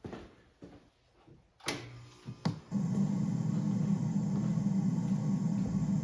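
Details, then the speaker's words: Galaxian arcade cabinet at power-up after restoration, with the monitor chassis refitted, the neck-board ground wire fixed and the arced resistor replaced. A steady low hiss and buzz comes from the speaker. Owner suspects the edge connector; cause not confirmed. "Hearing a static noise now for some reason. I don't know why it's doing that."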